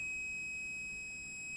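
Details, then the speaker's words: Grundig SVR4004 VCR with blown fuse: continuity test from the fuse output side to ground gives a steady unbroken high tone, a hard short circuit; regulator failure suspected, or a 12 V short at B47. "oh yeah that's pretty pretty short circuit so that'll be while the fuse blue"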